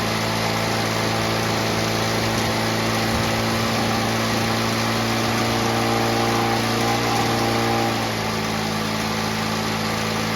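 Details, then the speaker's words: Victa two-stroke lawnmower built from junk parts, Powertorque engine, first-pull start with new spark plug: crisp, steady buzz at even pitch with no misses or knocks; healthy engine. "fantastic sounds like a really healthy engine"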